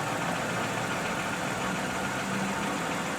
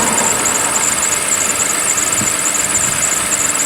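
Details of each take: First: 2007 Toyota Camry V6 XLE, idling once warmed up. Steady, even hum with no knocks or misses and a smooth, unchanging level; normal warm idle. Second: 2007 Toyota Camry V6, 2GR-FE engine, cold start in about 50°F January weather. Loud steady idle with a high squeal and a light uneven rattle; owner says the rattle is normal for these engines and fades as it warms. Cause unconfirmed.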